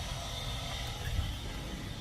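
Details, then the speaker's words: 2007–13 BMW X5 E70 air suspension after compressor replacement, heard from inside the car while pumping up from low rear readings: steady low even hum without surging or rattling; compressor working normally and vehicle lifts. "so hit up and see if it pumps this thing up so I can hear the pump can hear that pump down there"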